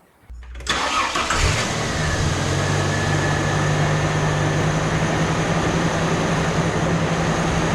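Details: Classic Ford Falcon after the air cleaner refit: cranks briefly, catches cleanly and settles into a steady, even idle with no misfire or stumble. Normal start and idle.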